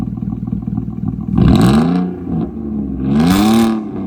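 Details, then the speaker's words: Audi A4 B6 3.0L with straight-pipe exhaust, just delivered, immobilizer bypassed, no check engine codes: two revs short of redline, pitch rising and falling cleanly with loud open-pipe roar, no misfire or rattle; healthy. "Because the car sounds like it's running fine."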